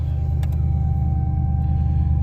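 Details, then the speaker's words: 1985 Pontiac Parisienne Brougham small-block V8 after installing a new warranty-replaced battery: deep, even rumble with a smooth, steady firing beat and no misses or knocks; idles cleanly. "Yep. Oh, fired right up."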